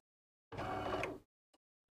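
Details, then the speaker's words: DeLonghi bean-to-cup coffee machine that has packed up; harsh, rattly motor whirr under a second then cuts out with faint clicks; internal mechanism really noisy, repair part on hand. "okay you can hear the mechanisms really noisy inside"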